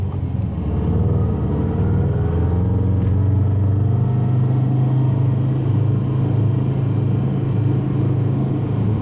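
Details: Subaru wagon with a fiberglass-packed X-Force straight-through muffler, in cabin on freeway at 100 km/h, 3000–4000 rpm under full load: deep steady boom, exhaust drone from the straight-through muffler.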